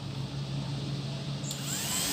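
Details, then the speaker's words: MX motorcycle radiator fan with relay jumpered during a fan-not-running-when-hot test: steady low hum and even whir, no rattle or scrape; relay and fan both good. "itu artinya relay nya bagus dan kipasnya bagus"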